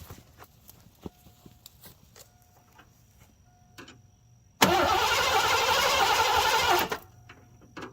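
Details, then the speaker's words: 1987 Mercury Grand Marquis LS, sitting since at least 2017, first start attempt: about two seconds of brisk even cranking but no firing; no fuel pump heard, owner suspects bad fuel pump relay; crank no start. "I hear something trying to do something. I have turn signals. I don't think I have anything of value. I don't hear fuel pump, which is the worst of it."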